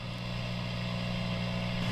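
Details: Dr. Z Z-Lux guitar amp at 40 watts, tubes warmed, volume and master at noon, cooling fan running, reverb fully up: steady even hiss with a low hum underneath, no crackle or pop; normal background noise.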